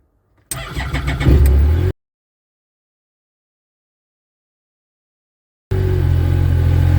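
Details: Yamaha RMAX with a new Acoucou YTX9 sodium-ion battery, foam-insulated, showing 14 volts: brisk, even starter spin of about a second, then steady smooth low idle; healthy crank and clean start.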